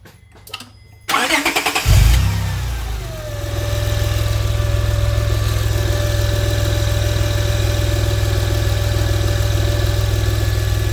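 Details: Whine from the serpentine belt area: engine cranks, catches, then a thin steady whine rides over the idle and stays put, coming from the belt-driven accessories; later fixed.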